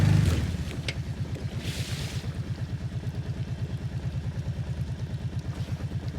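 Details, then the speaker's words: Outboard on an abandoned jon boat, sat over winter and unknown if it ran, first start attempt in water: even, low burbling putter with steady pulses, no misses or rattles; runs cleanly, better than expected. "I worked out a lot better than I expected this thing comes good awesome that was a lot easier than I expected"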